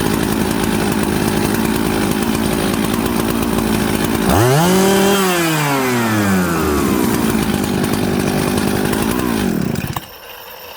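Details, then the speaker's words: Jonsered 630 Super / Husqvarna 266 mixmaster chainsaw after setting the low jet midway in its roughly 5/8-turn lean-to-rich range: a burbly, uneven idle and sluggish blips, then it settles and cuts off. It is still very smoky and running rich. "now you see that friends this thing's super smoky super rich"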